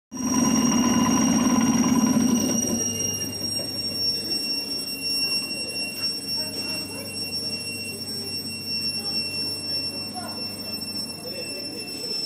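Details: ER9M-520 electric train, lead car air compressor: sharp steady high squeal over the compressor chug, loudest at first then settling; compressor squeal.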